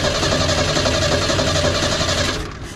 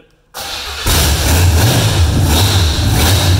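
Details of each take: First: Long-sitting junkyard inline-six with one-barrel carb, cranking with throttle: fast, even cranking churn that never catches, then stops; crank no-start with no spark, a power wire not hooked up. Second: Revived junkyard engine with open headers, unknown timing and no vacuum advance hooked up: catches within a second, then a loud, choppy open-header rumble holds steady for about twelve seconds before shutoff; runs fine.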